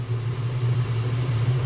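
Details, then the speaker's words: Chinese 5 kW diesel air heater in a motorhome running at full burn, steady even jet-like hum with no surging or misfire; runs normally, though its fan had been failing to shut down after an early disconnect. "Sounds like a jet at the airport, doesn't it, when you're like waiting to take ready off."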